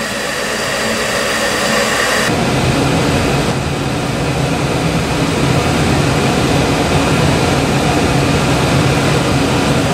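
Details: York furnace after repair for four-red-flash fault: steady, even burner and blower roar with no cutouts or surges; ran about half an hour without shutting down, problem fixed.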